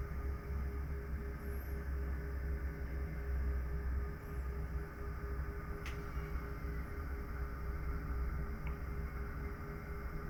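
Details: Pecron e3600LFP power station cooling fan at about 46–47 °C inverter temperature: steady low hum with soft even whirr, no rattle or surging; normal fan noise, unlike a previous unit's higher-pitched, continuous fan.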